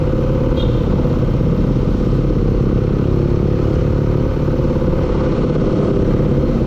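Loud steady running engine with a fast, rough clatter riding on the low drone; sounds like an internal knock, cause unclear.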